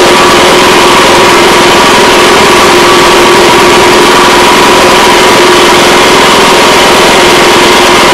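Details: Honda Harmony 215 SX mower that sat outside for years, running after a carburetor cleaning: loud, constant high buzz holding an even pitch with no surging or misfiring; normal running.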